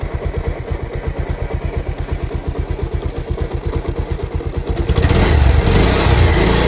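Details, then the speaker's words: Bajaj Pulsar motorcycle in gear after chain noise fix; steady, even beat with no chain slap, rattle or extra sound, quiet like a new chain; normal. "এই sound no sound. একদম new condition. বাইকের যেরকম new bike হলে যেরকম new chain হলে যেরকম same to same sound."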